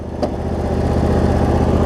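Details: Cub Cadet zero-turn mower with Briggs V-twin, previously running rich with wiring, charging and governor issues, after repair; steady even beat with no misses or surging; tracks straight, drive belt slightly worn, runs fine; normal running.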